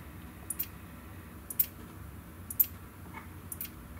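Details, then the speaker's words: Neotec NT-2701 27-inch arcade monitor chassis at power-on: sharp single ticks about once a second over a faint hum, cycling on a failed horizontal output transistor; power supply, caps and flyback ruled out, C450 suspected shorted. "one two three and it's ticking okay this is what it was doing before"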